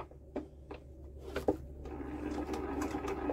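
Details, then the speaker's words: Old Lister diesel generator unused about 20 years, decompressed and cranking: slow, even cranking with a sharp regular creak each turn; the injector chatters properly with no leak-off, normal. "yep that injector is no clicking and we're not leaking off right that's good"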